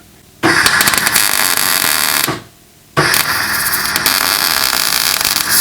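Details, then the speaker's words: MIG welding a split original joint on the exhaust of a Ford Fairmont AU: steady crackling arc breaks off for about half a second, then picks back up. The arc stutters because the wire feed speed is too low. "you hear that pause there there's not quite enough wire speed on it"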